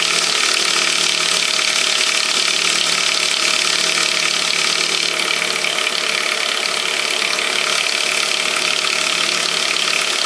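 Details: 1998 Saab 9-5 2.0 LPT, cold start after sitting overnight: fast, fairly even ratcheting tick about four per second over a thin idle; source unclear.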